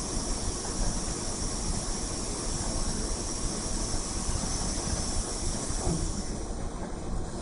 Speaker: This is the sound of the air cow with airflow on.